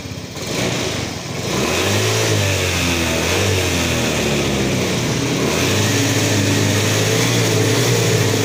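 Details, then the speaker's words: Yamaha Fino 125 injected scooter, before repair, throttle blipped: revs climb then hang flat and labouring at mid-to-high rpm, power held back and very sluggish; also stutters at low rpm; loss of power at mid to high rpm, fuel supply suspected. "Jadi untuk RPM menengah ke atas ini secara tidak langsung terkadang terasa enak, tapi lebih banyak gak enaknya seperti itu. Jadi tertahan sangat loyo sekali."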